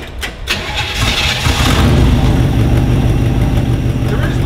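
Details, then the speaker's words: 1964 Chevrolet Impala out of storage, non-working choke, carb bowl filled, pumped and fuel poured in intake: brief cranking then catches into a lumpy uneven idle; hard start. "working choke so you have to crank it a lot you know full bowl give it some pumps throw a little bit of fuel into the intake"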